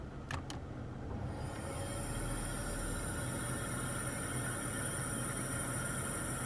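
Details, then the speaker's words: 2016+ third-generation Toyota Tacoma, R1234yf AC blowing warm: steady airy hiss from the dash rising after a couple of clicks, low on refrigerant so gas on both high and low sides, can't build pressure. "Now what that hissing is it's low on gas or low on refrigerant, and the high side and the low side, there should be liquid on one side, gas on the other side, but now there's gas on both sides because it can't build enough pressure because there's not enough in there."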